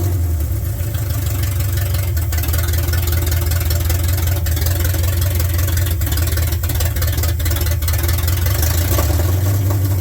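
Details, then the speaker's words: 1972 Ford F100 that sat in a field, first start. A deep, loud, steady, unmuffled V8 bark at idle through open headers with no mufflers. It is also running on bad gas, and the carburetor is due for cleaning or rebuild. Loud exhaust from open headers. "Got some It It didn't look like Hey, open headers. That's fun. Sounds good."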